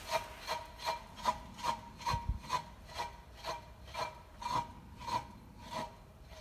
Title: How to detect bad wheel bearings